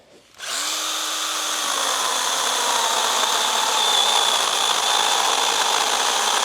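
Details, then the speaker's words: Stihl GTA 26 battery garden pruner mini chainsaw cutting larger-diameter branches with battery almost empty: motor whine slowly drops in pitch while cutting, losing speed as the battery runs flat. "Sounds like we're just about at the end. Trying to get that final cut."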